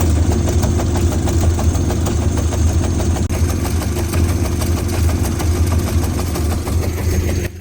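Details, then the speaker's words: VW MK5 GTI TFSI petrol engine with a severe misfire at idle, car shaking heavily; lumpy, uneven beat as cylinders drop out. Plugs, coil packs and an injector were replaced without fixing it; a failed fuel-pressure sensor was the cause. "As you can hear and see, my car is suffering from a huge misfire. The car is shaking like mad."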